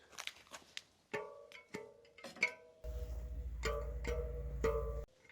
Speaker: एक बात है स्पोक्स की आवाज़। हाँ, अगर आप उन्हें बजाकर देखें, तो सभी की आवाज़ लगभग एक जैसी होनी चाहिए और वे अच्छे और कसे हुए होने चाहिए।